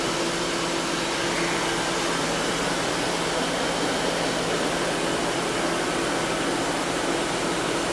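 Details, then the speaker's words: 2000 Mercury Grand Marquis 4.6 L V8 after intake manifold gasket replacement to fix misfire and lean codes: steady, even idle with constant hum, no stumbles; scan shows no misfires, all cylinders firing. "Let's start it up, and we should be in good shape. That's it. And as you can see, it runs fairly well."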